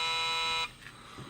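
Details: Home-built 40 m direct-conversion receiver: harsh, steady buzz rich in high overtones that cuts out abruptly, caused by interference from a cheap DSN-DPM-368 7-segment digital panel voltmeter feeding into the audio amplifier.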